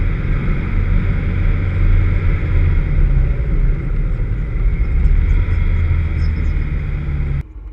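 Deep, uneven engine drone under hard load with a rough, stumbling beat in the low rumble; a misfire while driving.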